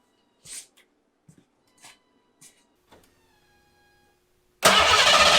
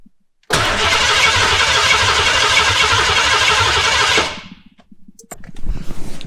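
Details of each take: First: Foxbody 5.0 V8 swap, first start after the fault was found and the inertia switch was reset. A few clicks, then the engine catches at once and settles into a full, even run. Start is normal; O2 sensors and timing still need work. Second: Foxbody 5.0 V8 swap, cranking for about four seconds after the inertia switch reset revived the fuel pump. Even starter cranking at about three beats a second, never catching. Fuel is present but there is no fire, so spark is checked next; the injectors are not firing.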